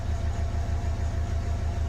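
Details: Renault Kangoo K9 diesel that flagged the glow-plug warning, lost power and would not rev, idling after reassembly while pedal load channels are read on a scanner: steady, even low thrum with regular firing pulses and no misses. Healthy idle.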